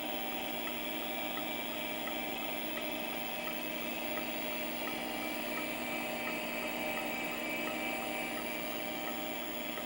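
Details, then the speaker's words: Mid-1980s LaPine Titan 32 MB RLL hard drive, 615 cylinders, four heads, stepper-motor actuator: steady spindle whine with light, even head ticks about three per second, no scraping; after sounding terrible for days it now low-level formats normally. "this drive has sounded like utter crud and then one random boot up it's initialized properly and now it's formatting and it sounds wonderful so bizarre"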